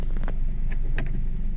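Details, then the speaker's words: 1991 Nissan Primera P10 1.6 GA16DS carburetted, after timing chain repair (hydraulic tensioner, cam sprockets, guides, retiming, water pump, belts), briefly warmed: starts instantly, steady even idle with no chain rattle; runs far better than before. "Comme vous pouvez le voir, ça tourne vraiment très bien. Vous voyez que le moteur ne tourne absolument pas comme avant."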